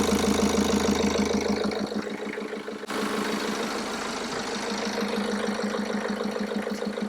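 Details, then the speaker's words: BMW F11 520d diesel first started after cam cover gasket replacement and injector seat cutting, with the fuel system bled of air: it catches and settles into a steady, even, clean clatter with no misses or knocks. Sounds good. "Sounds good."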